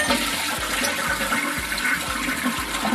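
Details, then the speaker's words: Briggs Vacuity 4400 series vacuum-assist toilet, bought new in 2000, after replacing the vacuum tank seal gaskets (wing coupling and vacuum seal): strong rushing flush with rhythmic low gulps about twice a second, the "beautiful chugging" of a working vacuum chamber; normal flush. "I think it flushed all the way. Let's see if the water, let's see if it makes that beautiful chugging sound."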